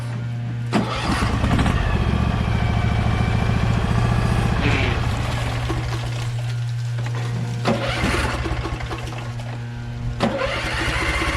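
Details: Briggs & Stratton Vanguard 23HP V-twin on a Little Wonder hedge trimmer, after primer bulb replacement and carburetor cleaning, choked, throttle low, brake on: catches quickly, then settles into a steady, even idle with no misses or knocks. Runs properly.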